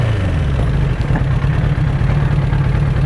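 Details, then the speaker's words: 1992 Suzuki Katana 750 GSX750F, a customer bike not run in a while, idling after a test ride; steady, even low idle with a smooth regular beat and no knocks or rattles. "I'm confident in that short little video this bike definitely has things that need done but for today"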